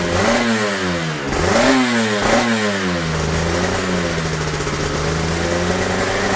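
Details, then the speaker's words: Yamaha TZR 250 3XV 1990s two-stroke twin, first start after wreck-to-runner rebuild (new hoses, powervalve and oil pump adjusted, carb slides synced, exhausts refitted), in neutral: three sharp throttle blips, then a smooth steady idle with some smoke; normal two-stroke running. "And a smooth idle. My God, couldn't wish for any more, could you?"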